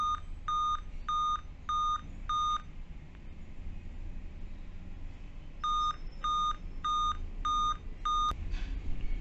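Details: Dell Vostro 2520 laptop (board DV15 MLK MB 11280-1) at power-on: five short, even high beeps, a pause, then five more, repeating continuously even with date and time set correctly. This is a real-time clock fault code pointing to the board's RTC section and the PCH RTC.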